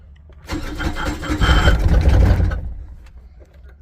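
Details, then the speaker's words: 2005 John Deere Gator HPX, about 20 years old, with a Yanmar diesel that had only started in warm weather. After new glow plugs and a new glow plug controller, it cranks briefly, catches within half a second, roars up and settles smoothly: a normal cold start. "it fires so we'll turn it fires nice okay folks the Chug lug lug"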